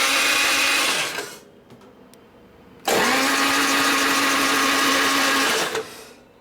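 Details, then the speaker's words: 1999 Harley 80ci Evo chopper after new ignition module install: two bursts of steady starter whir with an even tone, never fires; owner suspects starter bendix not engaging and no spark; cranks but no start. "is this even turning it doesn't sound sounds like the starter benix is not working"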